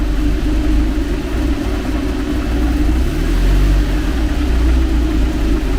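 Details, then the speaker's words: Renault 11 TXE carburettor engine warming up, heater on, radiator fan cutting in at 87–88°C, choke pushed fully in: low rough rumble, revs sag and waver; idle drops too low; owner unsure if idle speed or mixture. "Qu'est-ce que ça manque de ralenti ou de richesse ? Là, j'ai repoussé le starter à fond. Elle tient mais elle tombe comme une patate."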